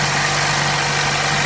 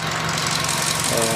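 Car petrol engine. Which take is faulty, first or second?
first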